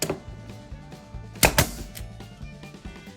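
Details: Porter Cable FN250C nailer after trigger valve assembly replacement: two sharp clean pops about a sixth of a second apart driving into scrap wood; now firing normally.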